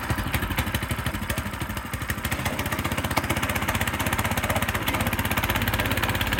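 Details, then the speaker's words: Frontier OS18 sawmill small single-cylinder engine, cold start on choke after blade change: steady even firing pulses about four a second, slightly lumpy on choke; normal cold running. "All right, we're going to crank this thing up and see what it sounds like. Choke. Uh-oh, a little cold."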